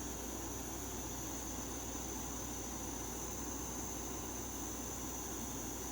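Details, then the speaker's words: MSR Whisperlite International liquid-fuel stove with its stock pump on a cold day: valve opened a little more once the yellow flame clears, giving a steady, even hissing roar with no sputter; the burner's metal lip glows red, a normal clean flame. "Once it does that, then you can open that up a little bit more. And based on how much pressure you have, dictate how strong the flame gets."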